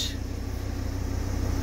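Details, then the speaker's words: 2006 VW Crafter diesel van, towed in as a no-crank, starts after a blown fuse is replaced and idles steady and even with no knocking; an engine warning light is still flashing. "Well, she cranks, so I'll get this battery on charge and then we'll see what happens. And she lives."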